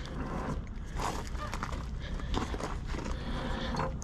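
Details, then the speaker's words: McIlvanie Century gear head lathe at a salvage yard, water-contaminated oil seeping from headstock levers: hand-turning the spindle in gear gives uneven gravelly grinding with irregular clunks, like a box of rocks; rust or gear damage suspected. "sounds like a box of rocks okay I don't know it's worth considering that rust will come off that thing"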